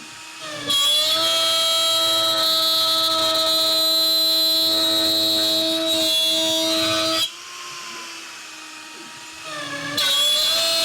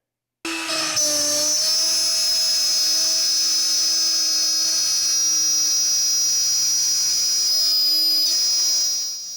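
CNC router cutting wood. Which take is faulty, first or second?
first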